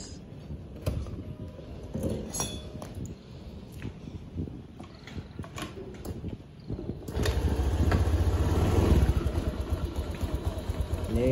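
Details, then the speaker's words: Honda Beat injection bore-up scooter after CVT service (block, rollers and clutch shoes cleaned with petrol; engine sounded rough before): fires and runs a low, fairly even drone with no rattle or slap; now smooth, normal CVT running. "untuk suaranya mudah mulai sudah mulai halus"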